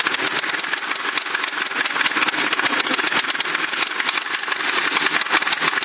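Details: Ford Crown Victoria V8 at idle: a fast, steady light knock over a busy top-end clatter. The noise developed recently despite good maintenance, and the owner suspects rod knock, which is unconfirmed.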